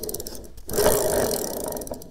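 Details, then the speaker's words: Razor MX650 electric dirt bike freewheel, spun by hand with the wheel removed during a rebuild: rapid harsh pawl clicks and a rough raspy whirr; sounds super dry and long-used. "it sounds super dry this thing's been used for a while"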